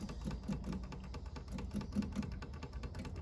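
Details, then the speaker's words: Honda S600 with the engine off and ignition on, just after a wiring fix raised voltage at a spare wire from 11 V to 12.3 V: quiet, uneven light ticking of the electric fuel pump priming before a start attempt. "So you can hear the pump priming there."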